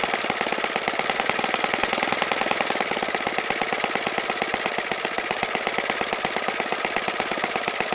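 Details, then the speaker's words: OS FS-95V four-stroke glow engine, first run after rebuild, 15% Omega fuel, 14x6 prop over 10,000 rpm, OS F plug: fast, crisp, even firing at high revs, no misses or surging; fine running, apart from an overly free throttle arm. "okay so that was pretty impressive aside from the little issue I had with the throttle arm being really free and my throttle setup not allowing me to you know keep it down lower so I can get my tax set up seems to be a really fine running engine"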